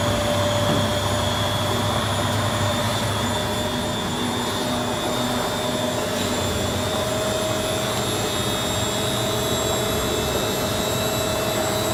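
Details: Beko D5 7101 washing machine with plastic drum, spinning: steady loud roar with a fixed whine on top throughout the spin, the drone of worn drum bearings.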